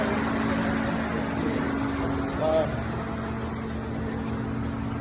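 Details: 2007 Hyundai Tiburon V6 after repairing cylinder 2 injector wiring for codes P0265 and P0302; even, steady idle with smooth low hum and no stumbles or knocks; codes cleared, engine running cleanly.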